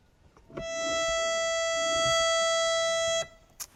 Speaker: so when we play the two notes together they should sound not wobbly inshallah or unmute the first one we tuned listen to them coupled sounds good